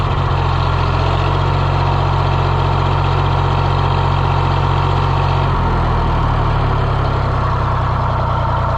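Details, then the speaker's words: John Deere 1020 diesel tractor idling after repair work: low, steady chug about three beats a second, even and smooth with no knocks or misses; healthy idle. "Let's see. Will it start? Yeah, what a sweetheart. She's purring like a little kitty now."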